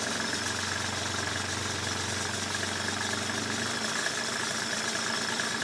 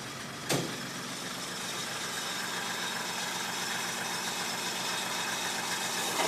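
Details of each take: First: 1995 Mercedes E300, cold idle that was rough and too low, now raised slightly; even, steady idle hum with no stumbling, sounding a lot better: normal idle. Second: 1995 Mercedes E300 idling cold, low and slightly lumpy with an uneven beat under a steady hiss; idle is rough when cold and set too low: rough low cold idle.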